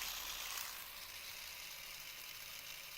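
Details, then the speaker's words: Cheap plastic three-arm fidget spinner, stock bearing held to microphone: quiet, rough hissing whir fading as spin slows; bearing noticeably noisier than a normal one. "so let's listen to the stock bearing of it like quite a bit noisier than the normal bearing put it up to the microphone"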